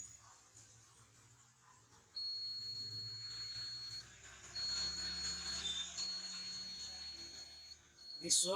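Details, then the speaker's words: China mobile phone that won't switch on even with another battery; multimeter in buzzer mode across the battery terminals gives a steady high continuity beep, showing a full short on the board. "this set is full short. Okay, so in that case you have to check your components."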